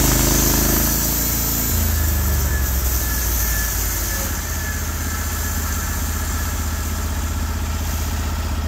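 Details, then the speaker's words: Norwood HD36v2 sawmill with new roller guides replacing the ceramics, slabbing a large black oak log through the bark: the engine pulls down slightly as the blade enters the cut, then holds a steady, even drone. It loads the motor as it should; normal running under load. "it went through it like it wasn't even there uh it cut flat it cut effortless um kicked out a beautiful stream of chips it loaded the motor just like it should"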